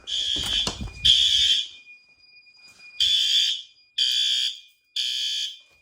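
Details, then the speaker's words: Monthly fire alarm test triggered by heat gun on heat detector: horn strobe gives shrill high blasts about once a second, steady tone, each sounding cleanly; normal horn strobe operation. "That horn strobe is good. That strobe is good. That guy's good."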